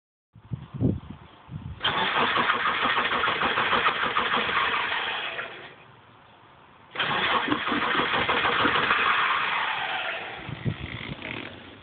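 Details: Stock 1998 Subaru Impreza RS, 228,000 miles, sat for 3 years: two long cranking bursts, starter about three beats a second, engine never fires; cranks but won't start.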